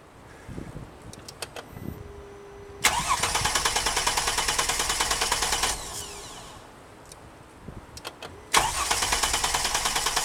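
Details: Mercedes-Benz cranks but won't start: starter spins engine at steady even rate through two long attempts, never fires; crankshaft position sensor replacement offered as the fix, cause not confirmed; crank no start.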